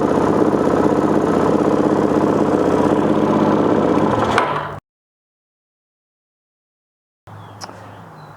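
Even, steady single-cylinder idle beat at about four pulses a second that holds without hunting or stalling, so the idle mixture is right.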